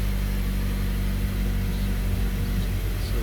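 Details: Mazda CX-5 Skyactiv petrol engine just after valve cover gasket replacement, cover torqued in sequence, check lights off: smooth steady low drone with an even beat, no ticks, knocks or hunting; idling cleanly.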